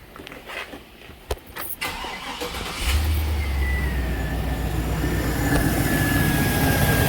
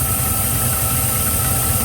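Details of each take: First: GM 6.0 V8 after knock sensor repair, codes cleared, and a replacement 3/8 PCV hose fitted at the PCV elbow: cranks briefly, catches cleanly and settles into a smooth, steady idle. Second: GM 6.0 V8 idling in park after knock sensor repair, codes cleared: steady idle rumble with a faint continuous high hiss, a vacuum leak traced to a cracked PCV elbow.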